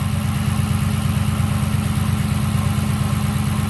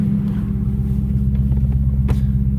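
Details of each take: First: Copart rollover-damaged Dodge Challenger at idle on a cold start after sitting overnight; lifters now quiet, only light even injector ticking about twice a second; owner notes dry water pump groaning without coolant, power steering pump probably groaning too. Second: Copart wrecked Dodge Challenger, rollover with front passenger-side damage, running after sitting overnight and sounding quieter; injectors ticking, plus a steady low groan from the front accessories, owner suspects a dry water pump lacking coolant and possibly the power steering pump.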